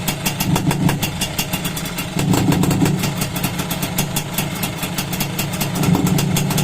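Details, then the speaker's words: Freshly overhauled Suzuki X4 motorcycle, stock engine (connecting rod work), after reassembly, engine cool: crisp, even exhaust pulses picking up cleanly with throttle blips and settling steadily; owner notes it is quiet, normal revving. "Hindi naman natin dinig yung makina nito kasi nga stock. Pero tahimik naman siya. Okay na siya mga kamikaniko."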